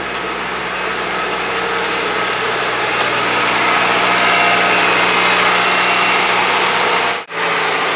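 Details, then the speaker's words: Honda Civic that overheated after hitting a raccoon, after repair: throttle propped at about 2,000 rpm while warming to temperature gauge halfway; even, steady fast idle with no misses, knocks or squeals. "I got the throttle prop the about two grand about halfway up on heat"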